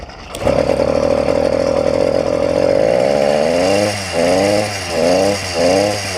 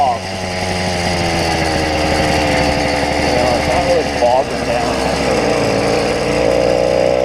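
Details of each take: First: YD100 two-stroke engine on a bike, after fixing a piston ring problem: steady buzz that surges and sags every second or so at part throttle, feels like wanting to die off half throttle; rich running bog. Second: YD100 two-stroke bike engine with carburetor set to its leanest setting and idle screw turned out: crisp, steady buzz holding an even beat, idling on its own without stumbling; mixture now running clean.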